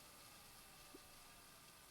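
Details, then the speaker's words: Thomson VTH6400F VCR during maintenance, tape rewinding fast toward the end, with the read head still touching the tape; faint steady whirring hiss of spooling, even with no catches or squeals; normal rewind. "ah ouais là ça va vite au bola ça va tu peux prendre la patience de rembobiner en vrai ça va il arrive à la fin il le sait attention"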